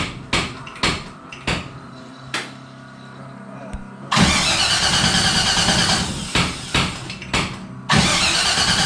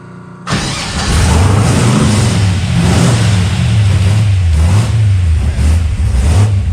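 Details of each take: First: Henry J gasser, not run since a car show, rewired ignition/kill switch, fuel pump off: starter cranks in long even bursts but never fires; crank no start, spark suspected, unconfirmed. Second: Henry J gasser being sorted for wiring issues and running on after switch-off: with the fuel pump switched on it catches after a moment and settles into a steady, even run with small throttle blips, no knocks or misfires; normal running.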